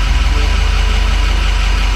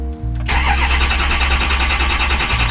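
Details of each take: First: 2006 Ford F250 6.0 Powerstroke diesel at hot idle, FICM voltage 48.5, IPR valve at 22% (owner unsure if normal); deep, steady, even diesel idle with no knocks or rattles: normal hot idle. Owner's only complaint is long crank when cold. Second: 2006 Ford F250 6.0 Powerstroke diesel, cold engine: starter churns about three seconds before it catches and settles to a firm idle; long cold crank, starts instantly when fully warm, owner suspects high-pressure oil leak, cause unconfirmed.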